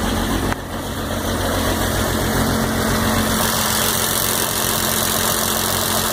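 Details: 12-valve diesel with hard starting and smoke idles with a busy, fairly regular clatter and a light tick riding on top: ticking at idle, cause unknown.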